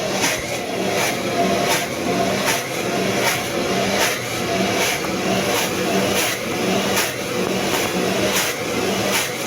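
Even motor hum with a steady agitator swish about 80 times a minute, no extra hiss; washer running normally.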